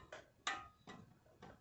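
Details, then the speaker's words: 1999 Toyota SW4 front suspension clunk when steering: sharp separate snaps about every half second in a quiet shop as the front end is loaded; upper control-arm ball joint shifts because its retaining lock is broken. "o que acontece pessoal quando ele estressa essa peça se desloca e claro dá um barulho bem forte tá"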